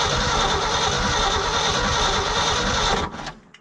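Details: Old Ford F350 bumpside truck after sitting 30+ years, coil just reconnected, crusty starter solenoid: starter spins engine briskly and evenly about three seconds without catching; cranks but no start, cause suspected, not confirmed.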